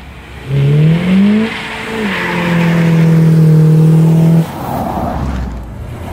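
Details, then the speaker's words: 1977 Chevrolet Caprice 5.7 (350ci) V8 after a 2-year restoration with a welded exhaust meant to cut vibration: deep smooth burble climbing and dropping cleanly with throttle, no rattles or drone; normal, healthy V8 exhaust note. "Đây là cơ hội để học cách hàn nó thực sự làm giảm rung động phát ra từ ống xả . Nếu tôi bắt bạn nghe âm thanh mới của nó và... làm nhanh lên thì sao?"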